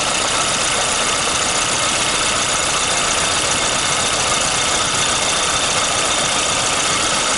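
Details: Warm VAZ 2115 1.5i (2111) petrol engine, recorded at 60–70 °C coolant temperature, idles with faint light tapping now and then; an intermittent knock of unknown cause that starts as the engine warms up.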